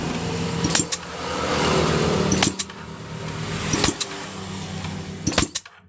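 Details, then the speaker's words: Yamaha Jupiter Z motorcycle dead for years, kick-cranking with plug out: loud rhythmic whooshing strokes with strong carburettor suction; compression likely still good, ignition spark confirmed, valves readjusted. "bunyinya masih keras dan nyedot-nyedot di karbu yang dilindung ini, berarti kemungkinan kompresinya masih bagus begitu."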